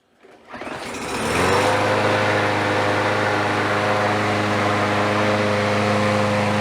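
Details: Troy-Bilt mower found abandoned at the roadside, restarted with leftover oil smoke clearing from chamber and muffler: pulls over, catches within a second, then runs steadily and evenly with no misses or surging, healthy.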